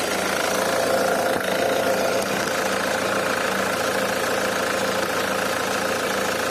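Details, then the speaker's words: Nissan AD 2001, 2.2 YD22D diesel, manual, 260k km, summer, just after start: light uneven metallic tapping about four a second over idle clatter; fades after 5–10 minutes, returns under load; owner suspects injectors, unconfirmed. "звук идет откуда-то вот откуда примерно оставляем так работать минут на пять-десять звук проходит"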